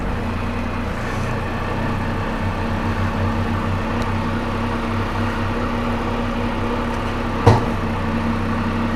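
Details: Can-Am Spyder idling after a cold start at about 22 degrees in winter: steady, even low idle with one light click midway, no misfire or knock; runs fine.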